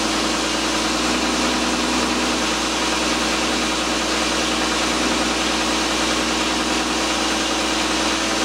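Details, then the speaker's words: 2001 Volkswagen Jetta GLX at idle after bleeding the power steering system: the pump gives a low moaning whine because a little air is still in the fluid, which is typical. "now when you first heard the pump you could hear it was whining a little moaning sound uh that's going to be typical too there's still a little bit of air in in the system"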